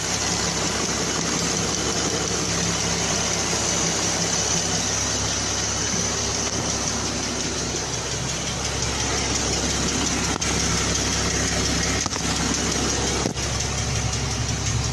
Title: Hydraulic valve lifter tick - Jeep Wrangler 3.6 2014